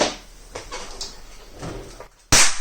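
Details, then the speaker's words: Turbosound NuQ powered speaker amplifier, switch-mode power supply under repair: quiet room, then one sharp loud crack at power-on; a diode refitted wrongly (not identical packages) shorted the output and blew a component. "Oh shit! What the fuck happened? Oh no! Yeah. It's absolutely my fault."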